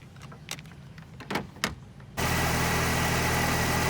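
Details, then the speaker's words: Car after battery replacement: starter catch then steady even idle with smooth hum, no misses or knocks; voltage 14.09 V running, alternator charging and new battery good. "With the alternator kicked in, it's 14.09. So that means your alternator's doing its job, and the battery is good."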